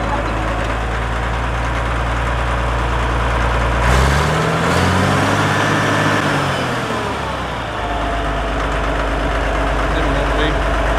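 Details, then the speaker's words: Caterpillar D7F dozer at its first start in 10 years, starting within 3 seconds: a steady low diesel idle; the revs climb and settle back midway, then it returns to a clean, smooth idle. The engine is healthy. "Oh my God, it runs! Look at that, we pushed some dirt with it too."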